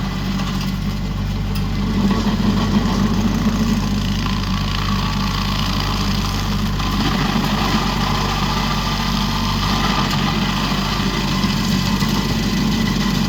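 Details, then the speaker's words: Used 2018 Woodland Mills WG24 3-point stump grinder on a tractor PTO (run below the rated 540), working a beech stump: steady even tractor drone at working speed, no surging or clatter; running healthy under load. "so what do you think Austin you're back here watching it I I think it works awesome pretty mean machine isn't it"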